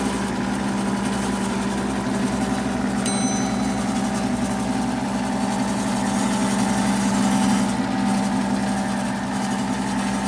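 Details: Rebuilt 90-year-old Gilbarco Model 80 (GMB 80) gas pump running and pumping diesel: smooth, even motor drone with a steady gear whir, no knocks, rattles or surging; fully operational.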